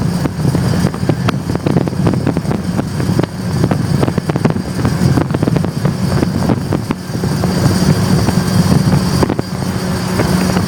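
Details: Loud low droning rumble with scattered sharp clacks while driving, steady under load, just after installing a one-piece aluminum driveshaft; owner asks whether it is normal or the u-joints need greasing, cause not pinned down.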